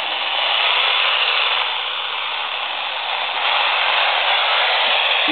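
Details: Laptop plugged in and on standby, power supply switched on, picked up on a standard AM radio: harsh, steady hiss-buzz with a faint fast pulse; the power supply radiates interference extending about 2 ft.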